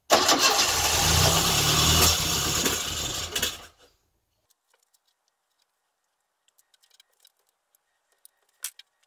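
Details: Classic Mini engine's first start, compression spot on; catches and runs evenly about three and a half seconds, then dies cleanly, having run out of the little fuel in the carb.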